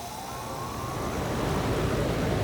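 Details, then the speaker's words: HVAC outdoor unit previously butchered by homeowner DIY work: steady low hum with rising tone as compressor comes up to speed; compressor and condenser fan motor both run normally. "like the compressor and the fan motor both do run"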